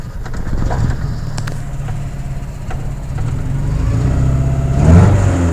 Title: F22a1 rough idle/rev